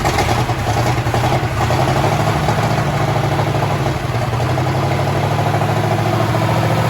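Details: 1932 Chevy hot rod built in the 1960s, off the road since 1989, start attempt with gas dribbled into the carburetor: old V8 chugs unevenly at low idle with a loose, lumpy beat, barely running; rough running on hand-poured fuel.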